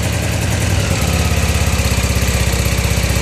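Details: Honda Pacific Coast converted to MicroSquirt fuel injection, after fixing a wiring mistake, coolant just warming: even, steady idle at about 1300 rpm with regular low exhaust pulses, about four per second. Normal idle.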